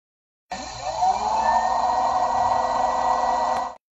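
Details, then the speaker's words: LG Tiiun plant grower, sound exaggerated for guide: steady even whirring hum at constant pitch, no rattles or ticks; internal circulation fan running intermittently, a normal sound. "식물 재배기 안에 깃 요소나 늘 위한 팬이 수시로 작동하며 선풍기 소리와 같은 응 웽 하는 소음이 발생할 수 있습니다"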